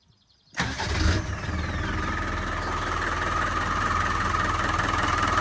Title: 300tdi Engine Knock